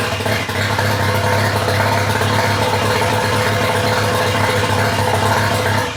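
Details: Mazda FD RX-7 rotary, rebuilt after losing compression, first run after engine install: loud, raw, buzzy idle with crackly edge and steady rhythm; runs fine with no exhaust fitted.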